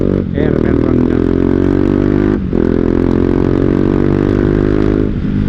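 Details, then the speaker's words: Motorcycle with an original Akrapovic exhaust that blew out, now louder and harsher than before: loud, raspy single-cylinder bark with a brief dip between revs, running evenly and pulling clean; the engine is healthy, just loud. "tapi gue tetep suka karena sangarnya itu kayak ginilah coy kek kek jebret jebret enak gitu"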